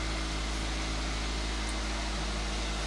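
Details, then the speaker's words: Toyota Fielder on ethanol, 184,000 km, after a major service, just after the morning cold start: steady, even drone with idle held slightly high; normal Toyota warm-up idle. "aceleração sem ficar mais alta porque o carro tem que esquentar né É normal dos toyotas"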